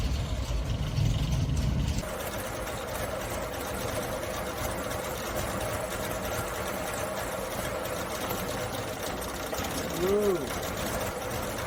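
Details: Carbureted Suzuki Samurai (SJ410/SJ413) after troubleshooting, in cooler evening air: a couple of pedal pumps, a brief crank, then it catches and settles into a steady, even idle with no misses or knocks. Normal idle.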